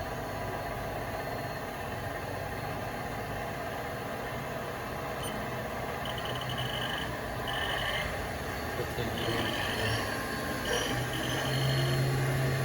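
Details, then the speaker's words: VF-3BYT mill spindle shifted to low gear and ramping to 2,400 rpm max after a 10,000 rpm high-gear run: steady even spindle hum rising with speed, no grinding; normal. "Max RPM. 10,000. Spindle load's about where it should be."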